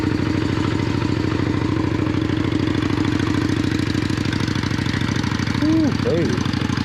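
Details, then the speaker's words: Yamaha Virago 535 V-twin with modded exhaust pipes, cold start on choke: lumpy, steady idle with a couple of quick throttle blips that rev cleanly and settle back; healthy, normal cold-start idle. "Got a nice sound to it. Who modded these exhaust pipes? Who made this bike sound so good?"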